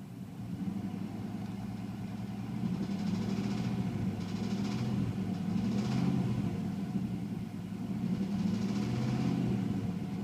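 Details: 1996 Chevrolet Silverado K1500 with the 5.0 Vortec V8 idling rough with a deep, uneven knock under the rumble from a worn rod bearing; the rod knock is progressively worsening and there are metal shavings in the oil.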